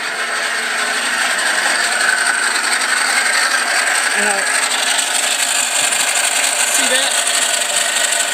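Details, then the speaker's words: 1999 Isuzu Rodeo 3.2 V6, 2WD automatic, noise present for a year, at idle: continuous dry hissy scraping rub with faint uneven pulse, gone at 2,000 rpm; owner suspects the off-centre hydraulic tensioner or idler pulley with worn bearings, unconfirmed. "and that noise goes away when you rev up to 2,000 RPM well if you look that pulley is off centered and I think it's worn out the bearings inside of it"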